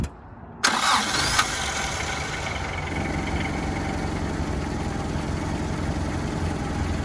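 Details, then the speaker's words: 1991 Toyota Hilux YN80 pickup, 1.8L 2Y pushrod four-cylinder, warm start after being driven in: short crank, fires within a second and settles straight into a steady, even idle with no stumbles; healthy warm start. "so we're going to go ahead and crank it it's a warm start it's not a cold motor because i did drive it here so it made it here on its own power"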